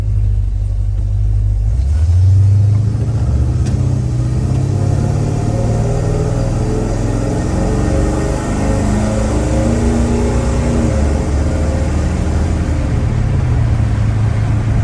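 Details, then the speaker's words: Square-body Chevy truck V8 with FiTech EFI, after fixing a crank-no-start blamed on flooding, first test-drive pull: deep rumble climbs cleanly and evenly, no stumble or misfire under load; seems more responsive than before. Normal acceleration. "So far, that was kind of just the first little pull, and it does seem to be a little more responsive than it used to."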